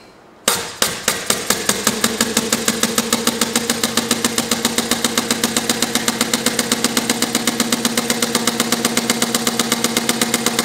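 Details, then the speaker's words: Compressed-air inverted hit-and-miss model engine (1 in stroke, 1.5 in bore) running in straight four-stroke mode with no governor yet, wide open on about 100 psi air: crisp, even exhaust puffs with no misses, a healthy run. "that's running wide open on about 100 lb pressure of air"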